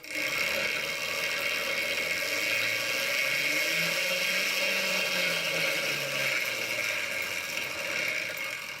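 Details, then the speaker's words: Quadra Sprint fitted with an electric scooter motor and chain drive, first power-on after final assembly with old master link reused; steady high whir with light chain rattle, tone drifting with speed, no snatching, clunks or kinks; normal chain drive. "everything's caring I don't seem to be any kinks in the chain"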